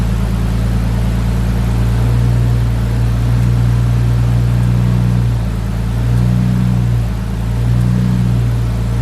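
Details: Nissan R33 Skyline after fixing idle that was hunting and nearly stalling: steady, even engine drone with gentle rises and falls in revs, no surging or hunting; revving much nicer, healthy and settled.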